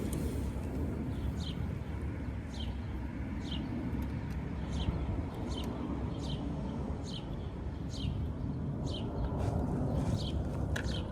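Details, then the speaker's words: 1986 Honda Spree two-stroke scooter after fitting a new carb; old one thought clogged. Low, steady idle rumble, even without stumbling, birds chirping; idles perfectly and gets up to speed quicker. Normal idle. "all right so we have the new carb on the Spree and now it runs and idles perfectly it gets up the speed a little bit quicker so I'm assuming that the old one was kind of uh clogged up"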